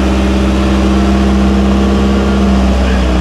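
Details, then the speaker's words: Triumph TR6 idling on choke after a cold start, started via the solenoid button because the starter button did nothing (owner suspects dirty contacts), good oil pressure: even, steady idle with a smooth low hum, no knocks or misses; normal. "anyway she's running again good right off the bat dick boil pressure good oil pressure"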